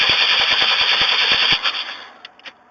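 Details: 1994 Chevy Astro, throttle-body injection, after Seafoam, engine recently run: starter cranks evenly about three beats a second then quits without firing; intermittently won't restart; crank no start.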